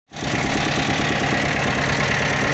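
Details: Toyota diesel forklift engine at steady idle with a hard, rapid rattling knock throughout; engine also hard starting, knocking and due for overhaul.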